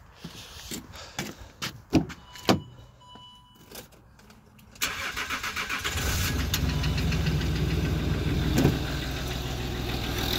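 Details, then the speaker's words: Land Rover Discovery 3 TDV6 diesel, cold start after sitting: catches after cranking, even idle with faint knock, possibly louder driver side, noisier until oil pressure builds; owner suspects cam follower, bottom end believed good. "it is all your pressure-related because if I leave it for a long time the few seconds when you start it up before the all pressure reaches it's a little bit noisier than when the oil pressures fully up"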